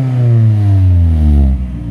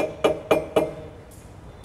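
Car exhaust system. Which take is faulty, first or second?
second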